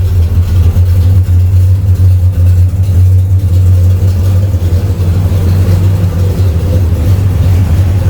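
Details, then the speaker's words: Camaro V8 after a start with no pump shot, following welded exhaust tips and transmission modulator work: deep, steady even rumble with the earlier popping gone, no misses; normal running. "Yeah, it got rid of that pop, pop, pop, pop, pop sound."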